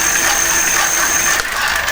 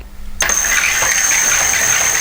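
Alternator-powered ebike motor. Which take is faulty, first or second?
second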